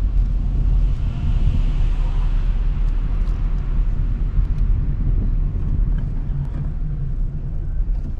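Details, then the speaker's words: 2016 Honda Civic with a used LKQ junkyard replacement engine (the original blew its head gasket after losing coolant), just started for a test drive: a low, even rumble with no knocks, ticks or whine; the replacement engine runs normally. "I mean, the motor sounds pretty good, but let's see how it drives."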